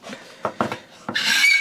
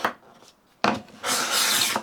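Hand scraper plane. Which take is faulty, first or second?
first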